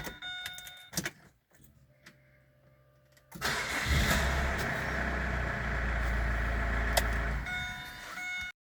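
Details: Opel Antara no-crank fault fixed by replacing the faulty 15A cabin fuse powering the BSM unit: a few quiet clicks, brief crank, prompt catch and steady even idle; starts normally.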